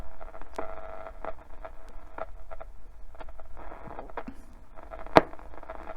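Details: 1969 Fidelity RAD 16 seven-transistor 4-band radio, never repaired, tuning shortwave band near 5.8: crackling static, scattered clicks and clunk from slipping dial cord; noisy reception, possibly noise picked up from camera.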